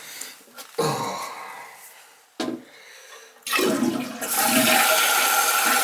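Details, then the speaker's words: Toilet: flush rush, then water keeps running into the bowl without stopping; flapper not sealing because its chain is hooked and caught. "probably just a flap right there see that's what's happening there see this is exactly what's happened I see all that's hooked on there yeah and it's not shutting you see how it hooks"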